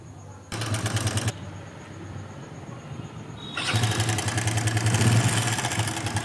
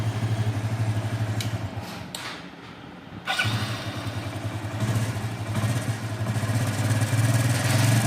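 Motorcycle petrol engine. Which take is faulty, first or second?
first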